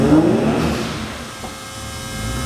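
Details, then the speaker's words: Nissan 350Z twin turbo loaded stationary in third gear against handbrake: engine pulls hard with a rising turbo whistle over the drone, blow-off valve audible, boost reaching around 120–140; turbos now making boost. "made a very different noise oh yeah we got to at least 120 there well sorry just under 120 and it sounds different as well you can hear the blowoff Val I think that is that I can hear"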